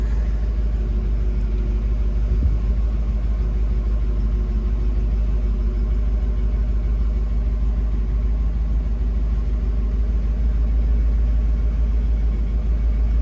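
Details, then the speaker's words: 1966 Ford Mustang convertible cold start: one pedal pump failed, two pumps fired it up. A steady, even, low rumble at a raised cold fast idle with no stumble or hunting shows the choke working properly. "Came in, hit it with 2 pumps, fired right up, running like a champ."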